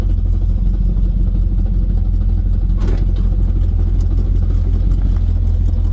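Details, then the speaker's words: Vehicle driven after a transmission failure and a large transmission-fluid top-up: a deep droning rumble with a faint uneven clatter, not exhaust; something suspected dragging underneath, cause not pinned down. "Sure as hell don't sound like exhaust. No, it doesn't."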